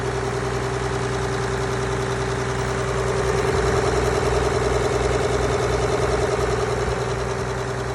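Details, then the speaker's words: Mack B61 semi diesel, leak developed and backfired a few times: idles with an uneven, lumpy beat around two and a half pulses a second; running rough, cause not confirmed. "so we developed a leak that in there died on its own I don't know if you guys saw that I was getting some liquid out of the thing but it's backfired a few times"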